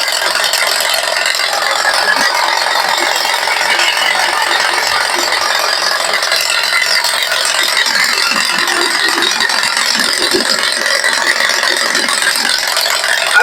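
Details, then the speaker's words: Mercedes-Benz GLC 250: idle normal, but with AC compressor on or automatic gearbox in D, fast uneven metallic tac-tac tapping and rattle, three to four a second. "Pero prendes la compresora o pones D en caja con la caja automática, D para salir, empiezas a zapatear, tac tac tac tac tac, hace un sonido así."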